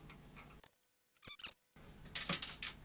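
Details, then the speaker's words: Sony Betamax SL-C9 video recorder, held on its side: light, irregular metallic clicks and rattles in short bursts from a loose screw rolling inside the chassis. "you can hear that screw rolling around in there it's not actually chewed up that screw"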